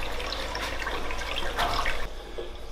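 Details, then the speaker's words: Newly filled Cade Pro Reef 1200 aquarium sump drain: smooth, steady rush of water with a light trickle, no gurgling or surging, quiet even flow. "Now, what we have to do to fix that is to adjust our gate valve on this main drainage line. And we're just going to turn it back to the point that that noise stops."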